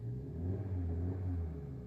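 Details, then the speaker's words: Maruti Dzire BS6 petrol after repairing cut injector wiring (codes were injector circuit open/low, cylinders 1 and 2); steady, even idle with a light rev, no misfire, no DTC, engine light off. "Missing भी सही हो गया। ठीक है। कोई DTC नहीं है। Engine M fire नहीं है।"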